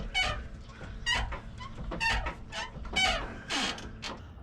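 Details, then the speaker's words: 3rd-gen Toyota Tacoma with suspension upgraded 8 months earlier, now on Icon RXT stage two rear leaf packs: high chirping squeals about once a second as rear suspension flexes; leaf packs not centered in shackle, worse on one side. "And this thing is squeaking, squealing. So, as you can see here on the other side it's worse. The leaf packs are not centered in the shackle."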